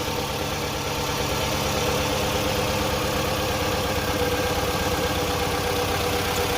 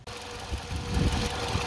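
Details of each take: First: 2008 Toyota RAV4 petrol idling with an uneven, stumbling beat and violent shaking, code P0302 misfire on cylinder 2, car won't accelerate; single-cylinder misfire caused by a failed injector. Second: 2008 Toyota RAV4 with misfire code P0302 after replacing the bad cylinder 2 injector: the petrol engine now idles smoothly with a steady low rumble and even hum, no stumble; the code was cleared.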